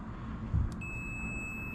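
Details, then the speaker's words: Yamaha YFZ450 electric-start ATV with starter button failing: multimeter continuity test from battery negative to engine gives a clean steady beep, confirming good ground. "As long as we get good ground, you should hear a noise. You should hear noise and then we'll know that that's good ground."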